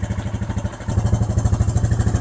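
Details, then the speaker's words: Four-wheeler after replacing failed starter solenoid with new connectors: even steady single-cylinder putter about ten beats a second, no misses or knocks; smooth normal idle. "There it is. She's a runner. All the wires are good. Starter's good. Battery's good."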